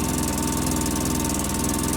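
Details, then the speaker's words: 2005 Polaris Ranger XP 700 EFI, just started, not warmed up, after throttle body and TBAP cleaning, rich exhaust smell: fast busy idle with steady quick pulses; high idle from throttle cable assumed misadjusted. "the idle still seems a little high I smell Rich exhaust but it doesn't seem as bad as it was yesterday but it hasn't heated up yet either"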